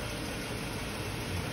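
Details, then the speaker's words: 2008 Chrysler Sebring 2.7 V6 after cylinder 1 misfire (owner-installed plugs; computer had stopped commanding cylinder 1): steady, even idle with no stumbles, running longer than before, ignition trigger present and no misfire. "It's been running much longer than it had before when it quit. And we definitely still have our trigger. So we'll go in a little more. Still have our trigger. We don't have any misfire."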